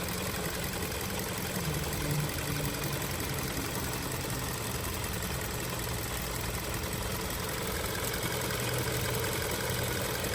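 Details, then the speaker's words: 2023 Hyundai Tucson at 23,000 miles, recorded inside the car, over 1,000 miles after adding Snake Oil additive: quiet, even warm idle under steady background hiss, no tapping or knocking; normal idle. "This is the results on the 100% snake oil product after over 1,000 miles. You can see how quiet the engine is. Hardly moving."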